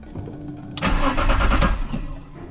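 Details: BMW E46 coupe that wouldn't start: starter cranks the engine in a short burst but it never catches; crank-no-start. Crankshaft position sensor already replaced; no fuel pump priming heard, owner suspects fuel pump.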